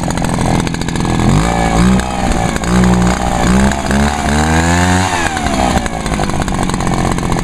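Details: Echo backpack leaf blower, two-stroke, after topping up fuel that had run low and caused hard starting: it revs up and settles into smooth, even sweeps with no misfires or stumbles; it runs healthy.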